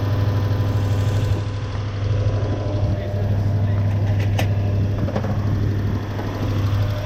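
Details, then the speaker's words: Toyota Hilux 1UZ-FE V8 after swapping the failed ignition coil for a matching one: deep even V8 rumble with more twang, no longer flat, all cylinders firing – healthy running after repair. "Oh, that's got a bit more of a twang to it, hasn't it? It's got a bit more noise. Doesn't quite sound quite as flat. That sounds much better."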